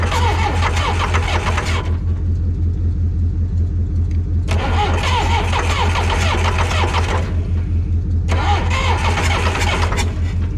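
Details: Two-wheel-drive John Deere backhoe diesel, ether sprayed into intake: long bursts of steady cranking about two to three turns a second, no catch; cranks but won't start, cause unconfirmed; they suggest trying diesel instead of ether.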